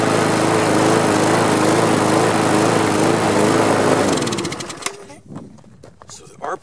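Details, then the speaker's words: Customer's mower engine after resetting a bent governor-spring tab that had lowered rpm: loud run with uneven beat, then drops away; still sounds erratic, and the spark plug gap was found flat, to be re-gapped next. "but i'm going to lower it a little bit but it still sounds pretty erratic doesn't it"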